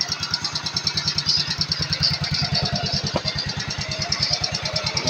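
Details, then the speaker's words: Yamaha Mio Sporty scooter after bendix spring and one-way starter clutch repair, idling with a steady, even single-cylinder putter at about three beats a second, with the dragging gone; normal idle. "testing natin yung dragging niya nawala na rin smooth na siya tumakbo"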